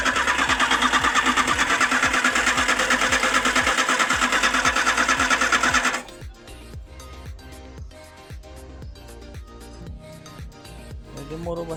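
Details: VW AP 1.6 Total Flex engine after rebuild (head machined, rod bearings replaced): rapid, even hydraulic lifter ticking; oil light comes on at warm idle, oil slow to reach the camshaft after restart; excessive clearance suspected of causing low oil pressure.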